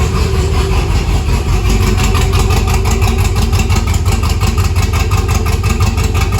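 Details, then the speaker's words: 1962 Chevy C10 with LS swap, first start: choppy, loping idle with an uneven lumpy beat of roughly three pulses a second; lopey idle from an aggressive camshaft. "so yeah that's where we're at with that it's got a real choppy cam real choppy cam in it"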